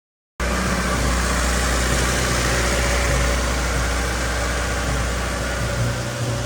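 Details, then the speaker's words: 1989 Honda CRX Si project car: steady, even low idle with constant rumble, no missing or surging; engine has smoothed out after sounding misfiry earlier, though an exhaust leak near the rear causes spitting. "but it sounds like the motor smoothed out it's running pretty good now"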